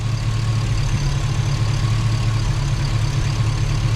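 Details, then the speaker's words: Chevy Tahoe, new ATK 5.7 LS V8 during its first idle break-in session on a safe break-in tune. Oil pressure about 40 at idle, 60 revved. Deep, smooth, even burble with no knocks, ticks or misfires: normal idle. "Need to rev it back up. I don't want to let it idle too long. All right, she's running. We've gotten through one idle session, or break-in session."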